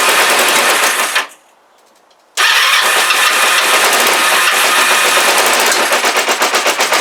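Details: Kawasaki GPZ500S twin on brand-new fuel: catches after brief pause, runs ragged with uneven popping pulses, vapor or steam from back of carbs; rough running, cause unclear, timing suspected by others.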